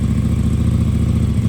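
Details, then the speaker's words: KTM RC8R with swapped 2020+ 3rd-gen 1290 Super Duke engine, first start after probably about 2 years unrun, wrecked bike: steady even low thrum, quick regular pulse, no knocks or misses; runs cleanly. "Oh, fingers crossed, guys. Dude, it runs."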